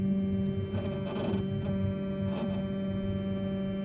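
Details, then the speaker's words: Flashforge Dreamer (NX) 3D printer homing and bed moving; steady motor hum with short squeaky bursts, suspected dry guide rods needing grease; not confirmed. "Hear that squeaking? Yeah. So hopefully some grease will solve that."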